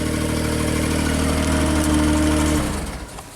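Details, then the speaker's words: JLG Baby Scissor lift small engine after new sensor was backed out to 2 turns; lifting up and down, engine holds an even steady note under load with no hunting, then eases off; fixed, gap had been too small. "And it's idling smoothly. If we go up, down. See if I can get you a better picture here. So let's go up. I like that a lot more."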